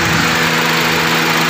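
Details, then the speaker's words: 2015 Honda City, loose coil socket connection fixed and spark plugs replaced after it knocked and nearly died at start: steady, even idle with aircon on, no misses, stumbles or knocking; now quiet and fine. "Ito po, okay na po siya. Tahimik na. Okay na, sir."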